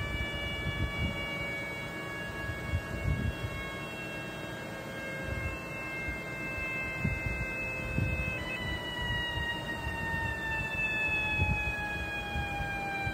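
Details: Engine running: a steady high whistle with a few tones, drifting slightly lower over a low engine hum. The source is unclear; a vacuum leak is suspected.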